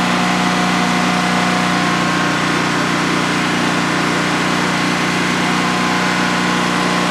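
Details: DuroMax XP15000HX generator, the replacement for a dual-fuel XP15000EH, running on propane in a shed with the exhaust fan off during a 5-minute test on its second start. Loud, steady drone at one even pitch, no misses, knocks or hunting; normal idle, healthy.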